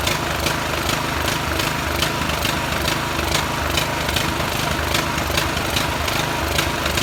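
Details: Poulan riding tractor single-cylinder engine after carburetor cleaning, oil previously spilled into head and exhaust and plug cleaned: steady even putter at fast idle, no stumbling; runs on its own.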